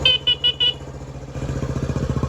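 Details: 1979 Honda CT90 Trail 90 after electrical repairs, horn fixed: four short, bright, even beeps over the small single-cylinder idle; horn works normally.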